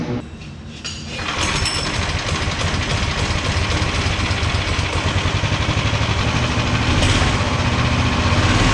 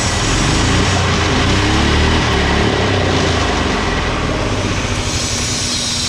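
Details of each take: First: 18 hp go-kart engine, throttle return spring refitted: catches about a second in, then steady, even putter around four beats a second, no misses; returns to idle fine, stops on its own, healthy idle. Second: 18 hp go-kart engine after replacing a spring with heavy wire: loud, steady high-rev drone that never drops to idle because the throttle return spring popped off, possibly not fitted securely; spring to be refitted and pinched.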